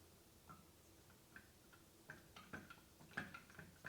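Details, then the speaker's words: Stihl 4-Mix engine, stopped, flywheel rocked by hand while watching through the spark plug hole: light irregular clicks and clunks with the piston not moving, from a worn connecting rod; the main bearings are also worn. "And you can actually hear the clunking right here. Right here. That piston is not moving. It's not moving at all when I turn the flywheel that much. The connecting rod is worn out in this."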